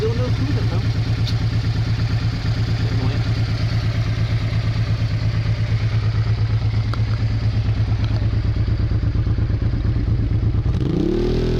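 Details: Honda Bros/Hawk GT 650 (late-80s V-twin), camera held near the exhaust: even, deep thump at steady idle, no misses or ticking, easing off at end; healthy exhaust. No coolant leak found.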